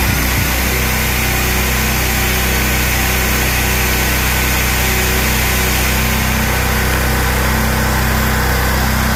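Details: Generator that had a surging idle, after its clogged carburetor idle jet was cleaned (clogging blamed on ethanol fuel): a steady, even drone with no hunting or surging, holding a constant speed. Normal idle, fixed.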